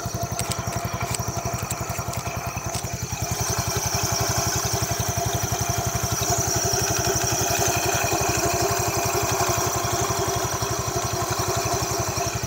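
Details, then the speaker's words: 2007 Yamaha Mio used scooter idling, heard near the CVT; steady single-cylinder idle with rattly crackle and faint squeal from the CVT, judged not normal. "Jadi suara CVT aja ada kretek dan berdenyit. Itulah yang membuat saya pengen ngasih tahu teman-teman kalau ini bukan hal yang wajar."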